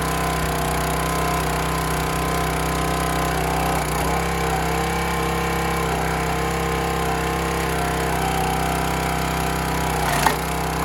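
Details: County Line 25-ton log splitter single-cylinder engine after carburetor cleaned of rust and water, fuel tank drained and refilled: steady even drone with no misses, knocks or surging over eleven seconds; running healthy.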